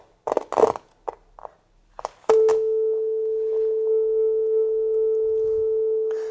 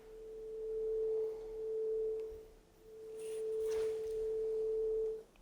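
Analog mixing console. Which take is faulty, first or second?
first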